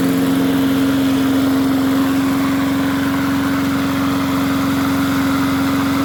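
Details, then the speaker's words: MTD 22-inch push mower, model 11-A084E029, after the spark plug wire was reconnected: a steady single-cylinder putter with an even drone near 250 Hz, no misses or surging. Owner notes slight vibration, possibly a bent crankshaft judging by the blade. "don't sound too bad not bad at all well it's amazing what happens when you hook a spark plug up and it sounds a little bit better now"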